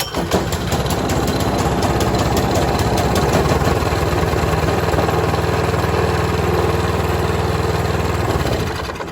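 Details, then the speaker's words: Toro Power Max 826 OE snow thrower (8 hp, 4-cycle, 26-inch), just started on choke at 3/4 throttle: even but lazy single-cylinder beat that sounds slightly slow; throttle needs to go up to full speed. "I had this almost it was at 3/4, but it still sounded a little bit slow. So that means that the full speed is just a little bit up, and that's full speed."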